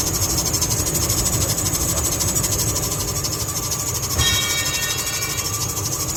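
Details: Running car or truck engine, possibly Ford F-150, with serpentine belt squeal: high, thin squeal on top plus a brief sharper chirp; fixable with silicone lubricant if the belt is not cracked.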